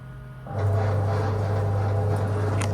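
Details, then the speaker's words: Haas VF0 CNC chip auger motor after repair of noisy reduction gearbox (suspected gear or bearing fault): starts and settles into a steady, even low hum with no rattle or scraping, like other machines; normal gear motor running. "and now that is much more like what I'd expect that's how many other machine sound"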